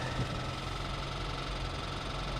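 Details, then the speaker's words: Freshwater-flooded auction car, claimed to run and drive, idling with a low, muffled internal knock. It is suspected to have sucked water into the engine; the engine did not lock up but was damaged. "well that ain't good is it yeah that's going to be a hard sell just be like hey all Kia make that noise all right all Kia and Hyundai make that noise it's perfectly normal"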